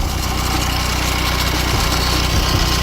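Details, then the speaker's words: Honda Civic with heavy steering and battery light, idling: loose, intermittent rattle over steady idle, not there all the time; source unclear, perhaps near the turbo, something broken or touching. "The Denso one originally, that's rattling noise, but I'm not quite sure where it's coming from. Sounds like it's coming from run a bit of this turbo."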